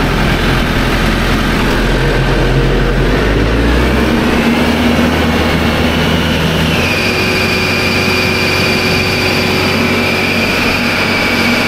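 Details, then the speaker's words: Diesel engine with RPM run up, its first wear item: heavy roar climbs with the revs, then a loud, steady high-pitched squeal sets in and holds; the alternator belt is squealing and is to be replaced. "I imagine y'all heard that pretty good. If you didn't, it was pretty loud."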